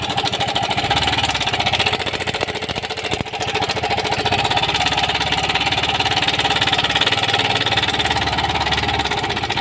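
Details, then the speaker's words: Yamaha Mio Gravis scooter at idle, no check engine light: loud fast metallic clatter; mechanic suspects failed cam chain tensioner. "So tingin ko naman yung tunog nito ay possible to ay tensioner sira yung tensioner"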